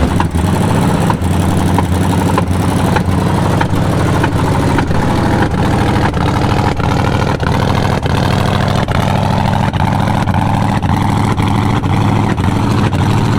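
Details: Jeep Scrambler engine running with sharp even ticking following crank speed; teardown found bad lifter, likely flattened cam lobe, bent pushrod; listener bets valve spring; that cylinder later disabled pending rebuild.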